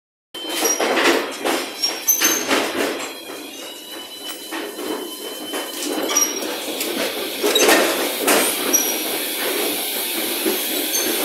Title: "допоможіть" знайти причину писку в шафі ед9м-100